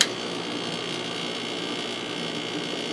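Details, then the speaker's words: April 1996 Holmes 5200 BTU air conditioner made by WCI, rated 6.2 A, 635 W, McMillan fan motor, LG compressor; three-speed fan on low gives a soft steady whir and light even hiss, no rattles or grinding; normal quiet fan. "and fan is extremely quiet on low speed"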